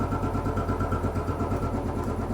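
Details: Royal Enfield Bullet 500 (last 500 UCE, pushrod, hydraulic tappets), 18,000 km, stone cold first start of day on fast idle: even single-cylinder thumping, nothing tapping from top end; clean healthy cold start.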